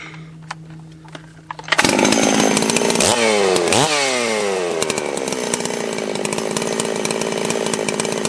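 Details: Holzfforma G660 Pro chainsaw, about 15 tanks, after ignition timing advance of roughly 1/8–1/4 inch: revs up sharply, strong and even under load in the cut; crisp throttle response.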